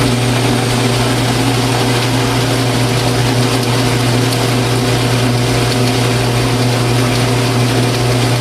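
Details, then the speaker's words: Atlas 12-inch Quick Change metal lathe, long unused, running at steady speed with a low, rough growl from its gear train. "but i suppose you can hear it kind of growling in the gears there"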